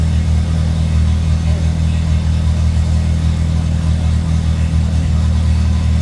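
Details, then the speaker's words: Handmade helicopter engine running after a new injector and a welded-in oxygen sensor were fitted and tuned: steady, even low hum with a constant beat and no knocks, misses or surges; smooth. "موتورمون خیلی عالی داره کار می‌کنه ۹۰ از کار موتورمون تموم شد خیلی عالی صاف داره کار میکنه"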